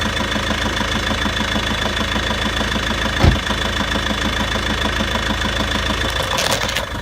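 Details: Volvo V70 2.0 diesel idling with a steady fast rattly knock, about three per second, tied to engine speed, from the clutch/flywheel end; dual mass flywheel suspected, not confirmed.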